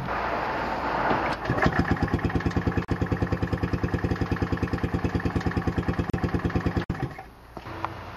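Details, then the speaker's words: Robin EC25-2PG two-stroke in an EZGO golf cart cranks during a compression test, with the spark plug grounded. Weak, even strokes come about three a second and it turns over easily by hand. It reads only 80 psi at best; the top ring is missing. "so this is all I'm getting 80 lb at the best it's pretty low even when you turn over the engine with your hand here the clutch it's easy to turn over"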